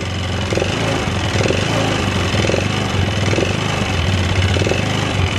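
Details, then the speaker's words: Yamaha Xeon scooter, no smoke but weak power: rough single-cylinder idle with a light tek-tek-tek tick each turn and choppy beat; engine ticking, cause unconfirmed. "motornya itu nggak ngebul yo gak ngebul cuman ada suara tek tek tek terus tenaganya agak jeruk bambu"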